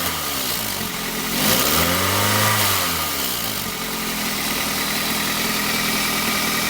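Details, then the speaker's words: 1998 Chevrolet Prizm / Toyota Corolla petrol engine idling then revved once; raspy, hissy edge swelling with revs from a leaking exhaust manifold collector tubes with a previous repair attempt, before manifold replacement. "you can see that somebody already tried to repair that that's where our exhaust leak is you can probably even hear that"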